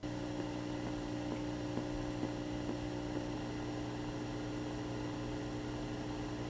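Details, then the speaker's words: AFERIY P280 power station inverter, which measured over 2,000 mV of EMI, feeding a guitar amp: steady low hum with a faint, slightly uneven pulse about twice a second; audible electrical interference from the inverter. "Connecting my guitar amp to the inverter, I did notice a very slight pulsing noise when connected. Can you hear it? It's not very loud."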